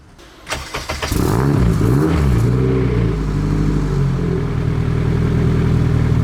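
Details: Nissan Cefiro with fully built Honda K24A2 swap and T56 Magnum, rebuilt after a rod went through the block: a few quick cranks, catches, flares, settles to steady even idle without knocks or misses; then 90 psi oil pressure, 119 coolant temp.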